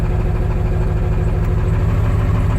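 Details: 1996 Ford F-250 7.3L Powerstroke diesel, cold, tested before valve cover gasket and injector harness repair: heavy clatter with an uneven, lumpy pulse; rough cold idle, no single fault identified.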